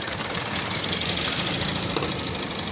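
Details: Toyota Vios that stalled after driving through floodwater up to the hood and now won't keep running; found with the fuel pump hose left unattached after DIY work and no air cleaner. Rough, uneven chugging idle under a loud hiss.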